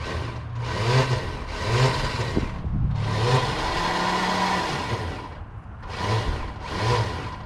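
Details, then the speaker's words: 1995 Buick Roadmaster Estate Wagon that sat for a few years, first crank attempt: bursts of high-pitched whirring with no cranking rhythm; starter spins freely but doesn't engage the flywheel. "Sounds like the starter's not making contact with anything. But we have headlights."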